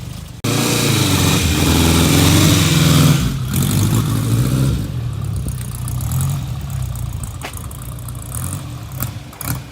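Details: 1955 Ariel Square Four (SQ4) motorcycle, still ridden by its 89-year-old owner: fires up at once, revs cleanly, then settles to a fairly even idle with no obvious knocks; normal idle, though a slight stumble/misfire is noted when ridden.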